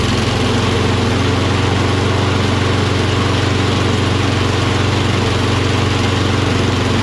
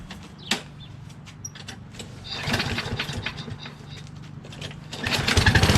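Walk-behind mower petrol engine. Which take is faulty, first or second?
first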